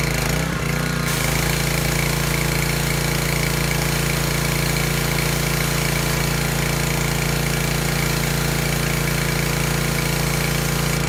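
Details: Discarded Craftsman 2700 psi pressure washer, with hose and wand attached. The small engine pulls steadily with an even drone and a fast regular pump pulse under load; no misses or knocks.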